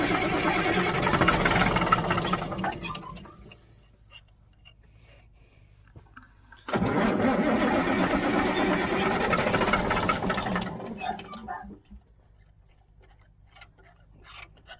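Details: 1977 Mack R-model diesel gives two bursts of steady cranking, about three compression beats a second, while a helper pumps by hand. No firing; the owner suspects the injector pump isn't delivering. Cranks, no start.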